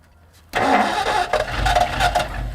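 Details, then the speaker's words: 1964 Ford Galaxie 390 V8 parked about 40 years, first start on fresh gas: catches hard, settles into uneven lumpy surging idle, maybe running on about 6.5 cylinders, yet started easier than expected with no hideous noises. "I think we have at least 6.5 cylinders there. Wow, this thing runs good. It's alive."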